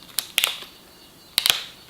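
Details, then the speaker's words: Cordless drill keyless chuck, bit inserted, sleeve rotated clockwise with the motor off: two quick bursts of sharp ratcheting clicks, meaning the chuck is fully tightened on the bit. "and to tighten to simply rotate that chuck sleeve clockwise until you hear this clicking sound"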